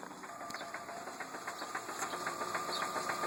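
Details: 2003 Ford Focus idling: light, fairly quick ticking rattle over a smooth idle, about three or four taps a second; knocking whose cause is unknown.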